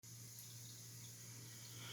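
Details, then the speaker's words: Toilet running continuously: constant hiss of water filling the tank that never shuts off; flange tested and not bad, owner suspects the handle needs replacing. "all right you hear that noise so my toilet is still running and I know this fange is not bad because I tested it"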